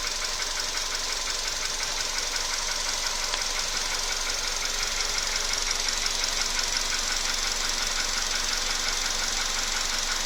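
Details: VW Polo Sedan at 28,000 km: sharp metallic tapping about three times a second, steady over the running engine; knock from inside that appeared recently.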